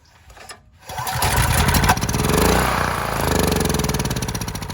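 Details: Neglected pawn-shop Honda generator, first start attempt: silence, then the small engine catches and pops unevenly for a few seconds on starting fluid only; a carburetor fuel supply fault is suspected and the carb is to come apart.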